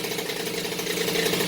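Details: Rebuilt Peugeot 103 RCX moped two-stroke, first start after reassembly, choke off, carburetor not yet tuned: steady, buzzy idle, even and unbroken; healthy running.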